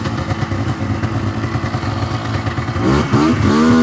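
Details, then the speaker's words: 1999 Yamaha Vmax 700 triple with ongoing running issues: engine stumbles and blubbers bogging at low revs, then clears and climbs but still rough, sounding like it runs on three cylinders yet not 100%; center cylinder to be rechecked. "so you can hear right there definitely on the low end fogging out now when it finally did kind of clean itself out it sounded like it was running on three cylinders but still not running 100% for sure"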